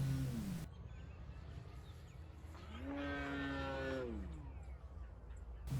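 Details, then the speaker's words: FMS Pitts electric RC plane in windy flight, spinner found badly out of balance, rudder vibrating from prop: buzzing prop note rising and falling on pass with rough rattly edge; prop imbalance vibration, later snapped as heavy 22V battery shifted. "Dang, it sounds like the prop is out of balance, making that horrible noise."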